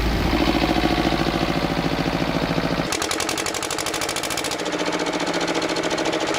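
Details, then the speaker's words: Old twin-cylinder diesel vibratory roller that broke down about 20 years ago, after running a while: slow, even thumping about three beats a second, steady and unbroken; normal idle with both cylinders firing, earlier miss suspected from injector debris. "oh well it's running sweet now that second cylinder seemed to pick up after a while so it might have just been a bit of crap in the injector or something"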